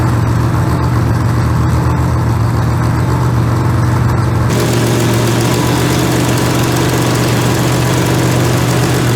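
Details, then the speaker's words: Fresh-built 283 small-block Chevy with twin unlinked carburetors, untuned: first fire, held at raised idle to warm up, steady even V8 rumble with no misses or knocks. "i'm gonna sit here and let it let it run keep it idled up a little bit and get a little heat in it and check everything it ain't tuned yet"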